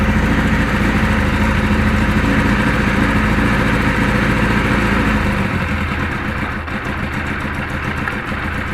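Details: Kawasaki KZ1000 police bike (KZP 1000), cold, choke off, on stand: uneven, lumpy idle that stumbles and won't settle; charging 13.8–14.2 V, wiring, grounds and crankcase vent checked; rough idle, cause not found.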